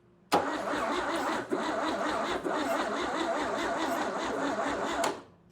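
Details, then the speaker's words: $400 Chevy 235 inline-6 from a 1961 Apache pickup, sold as recently rebuilt, carburetor off with starting fluid down the intake: about five seconds of steady even cranking that never fires; crank no start, distributor suspected 180 degrees out. "All right, I've been troubleshooting this for a little bit and the only thing I haven't tried yet is spinning the distributor 180 degrees because it just could be wrong."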